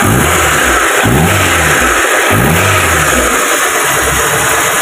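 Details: Car engine that had been jerking, losing power and running on 3 cylinders, heard after the ignition repair: revs up and settles cleanly, pulls smoothly with no misfire stumble, runs even.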